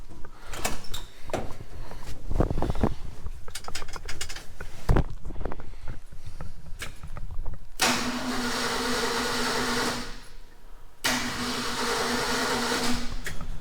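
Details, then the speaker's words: 1969 Ford F-350 with a 352 FE V8 swapped in from another truck; the engine was known good. Cranking on battery only, not yet able to start (ignition wire issue). Two smooth, even cranking bursts with no tight spots or slowdowns: normal cranking. "that sounds pretty good pretty healthy smooth crank of course i know this engine was a good running engine"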